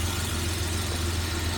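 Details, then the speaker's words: 1975 Jaguar XJ6 daily driver with bad oil leak, just after adding Rislone Rear Main Seal Repair, idling for 15 minutes: low steady engine hum, even rhythm, no knocks or ticks; good oil pressure. "Let's fire it up. Oh, there we go. Flipped it a little bit since charging and AC still has great oil pressure."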